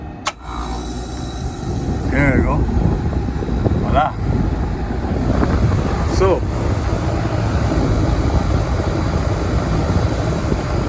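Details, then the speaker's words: Rooftop AC unit, outdoors, after the thermostat was bypassed by jumpering the G/R terminals to Y1: first-stage compressor starts with a deep steady drone, no clatter; normal. Cause of the fault: the thermostat wasn't calling for cooling. "you can see that the issue here the thermostat just wasn't calling so my first compressor y1 active just by doing that you know basically bypassing the thermostat"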